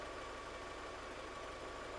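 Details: 2002 VW Polo 1.4 petrol that came in with the EPC light on, no power and code P1553, with suspected misfires under load from an injector or coil and a possibly damaged catalyst monolith: a quiet, steady idle with an even hiss and no knocks or misses.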